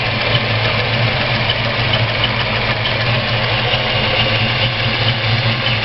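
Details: Ford 302 V8 at steady idle with a faint high whistling chirp about twice a second from cylinder 1; it goes away with both rockers removed and returns when the exhaust rocker is installed. Owner suspects a bad roller rocker; unconfirmed.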